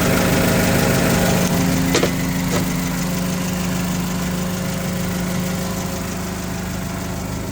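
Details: 2008 Mitsubishi Caterpillar 5000 lb dual-fuel forklift during pre-delivery inspection, running on gasoline: smooth steady idle, low even hum, regular firing, no knocks or misses; engine sounds good and strong, normal idle.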